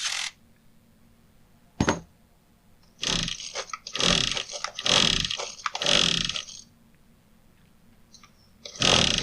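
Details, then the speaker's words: Husqvarna 122HD45 hedge trimmer after its clogged cooling intake was blown out: several rasping recoil pulls with quiet gaps, no firing at all; turns over but won't start, needs further investigation. "It's not wanting to do anything, actually. So I'm going to have to dig into it a little bit deeper and do some investigating."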